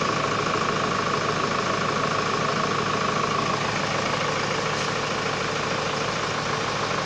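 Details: Hyundai Starex VGT diesel after fixing a P0192 fuel pressure sensor crank/no-start fault: steady, even diesel clatter at idle with no misses, knocks or hunting; idling normally.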